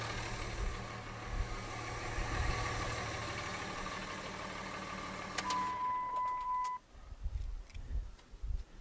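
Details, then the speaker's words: 2006 5.9L Cummins common-rail diesel after a valve lash adjustment for valvetrain vibration, started after the glow plugs cycled; steady, even idle with no ticking or clatter, then shutdown and a chime. "boy don't that sound good beautiful"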